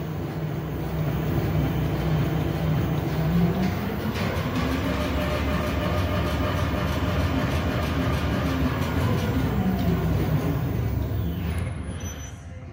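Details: Lexus RX350 front KYB shock absorber with air spring on test rig, final test after repair of knocking and oil leakage: steady mechanical churn, even stroke rhythm about three per second, no knocks or clunks; cycling normally.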